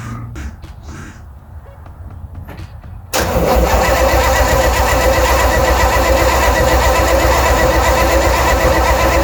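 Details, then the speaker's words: 1964 Chevrolet Chevelle Malibu convertible, 283 cu in small-block V8, 3-speed column manual, sat unrun at least six months; cold revival, cranking to prime fuel before setting a faulty automatic choke. Starter churns steadily about four beats a second, turning over without firing. "So I'm going to crank it a little bit to prime up some fuel, and then I got to set the choke because the automatic choke doesn't work quite properly, and then we'll see if it'll do anything."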